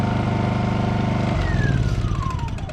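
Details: Honda EU2000i companion inverter generator, about 100 hours, formerly wouldn't run from neglect, restored with a new carburetor: firm, even beat, then smooth speed change without surging or missing; normal running.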